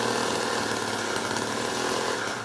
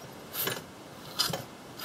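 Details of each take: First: Old Wright gas-powered reciprocating saw, in rough shape after years unused: the small engine buzzes steadily at high revs for about five seconds, then cuts out. It does run now that fuel is reaching it, but the carb obviously needs going through. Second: Old Wright gas-powered reciprocating saw pulled over by hand after cylinder cleaned and oiled: three slow soft whooshing strokes about every 0.8 s with faint resistance; low cranking compression.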